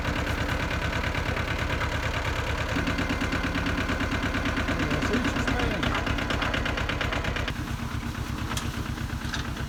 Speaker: you don't have it down far enough but it is working needs to be down in soil more needs to have a higher RPM so it's not going down in the earth as much